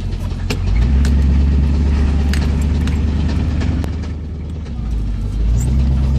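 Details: 1985 Chevy Silverado pickup with a 305 V8, driving: deep drone with sharp, loosely spaced engine knocks ticking through it; owner may swap in a 400 if the knock can't be fixed.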